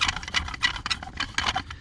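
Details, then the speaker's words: Original blower motor removed from a 1995–1999 GM Chevy Tahoe, turned by hand on the bench: irregular scratchy, dry grinding bursts; rough noise suggests the worn motor is probably the problem, replaced with a new blower motor. "but I don't see anything in that Mouse Nest wise oh yeah this thing sounds horrible"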